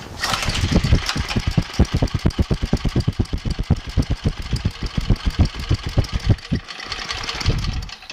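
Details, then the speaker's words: Abandoned MTD snowblower with recoil start, after priming and choking: the small engine chugs in loud irregular pulses, surging and nearly dying. The carburetor fuel mixture is out of adjustment, and the mix screw needs resetting by about ½, 1, ½ turn. "One thing we have to adjust is the fuel mix ratio."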